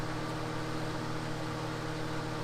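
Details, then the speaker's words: 2004 grey Duracraft turbo desk fan, before restoration, on low: quiet, smooth airflow hiss with a faint steady motor hum and no rattle or wobble. Very reliable, though these motors sometimes seize. "other than these motors sometimes seizing up they're very reliable moving an impressive amount of air too it's really quiet"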